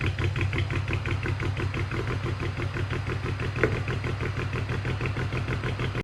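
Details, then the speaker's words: Petrol engine idling roughly with unsteady rpm, low uneven lumpy beat over injector ticking; OBD2 codes show misfires on cylinders 1, 3 and 5, attributed to failing ignition coils. "ظهرت لنا الأكواد وتفسيره بأن في مسفاير في سنتر رقم 1 و3 و5، وهذا شيء أكيد منطقي بحكم أن المحرك فيه تغطية قوي وعدد دورات المحرك غير ثابتة."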